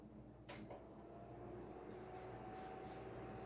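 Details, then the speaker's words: Aloha Breeze tower fan from about 2005, cleaned and serviced after oscillator motor failed, on low speed: very faint even hum and airflow hiss, dead silent yet still pushes a good breeze. "i will say on low speed this thing is dead silent and it still pushes a good bit of a breeze"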